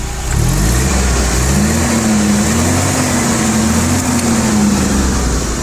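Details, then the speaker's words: Toyota 6FGL15 petrol forklift, 1.5-ton capacity, four-cylinder carbureted engine, hood open: tone rises cleanly as throttle opens and holds steady revs with no stumble or hunting. "что набирает обороты отлично их держит"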